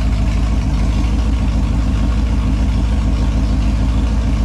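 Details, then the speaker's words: Holden 253 V8 on a test bench after rebuild with new main and big-end bearings, honed cylinders, new rings, Yella Terra heads and timing chain: steady, even low rumble with smooth V8 lope, no knocks or ticks; healthy idle, no leaks. "so there you have it she's uh all sounds good goes good doesn't look like it's leaking anything"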